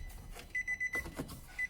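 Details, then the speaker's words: Nissan Note 2014 door-open warning chime with ignition off and a door still open, heard during sub and converter install: steady ~2 kHz chime pulsing about five times a second. "I'm gonna kill this noise. I hate this beeping. Why do you have, I've still got the other door open."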